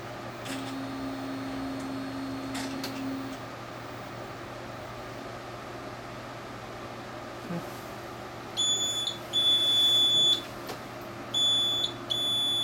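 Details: Printer stuck for hours in an "error service reset" loop after the print head began hissing: sharp, high-pitched error beeps in short bursts over faint room hum. The owner suspects the maintenance station, unconfirmed.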